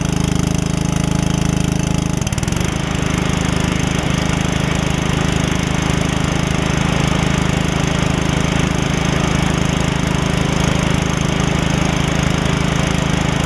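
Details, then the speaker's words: Customer's Troy-Bilt mower with a rigged RER deck, test run after reworking the deck so it won't eat the belt; steady, even deep engine drone, no misses, knocks or surging; runs smoothly. "all right guys i'll show you that everything's working like it should runs good it runs really good actually so at least i don't have to worry about that"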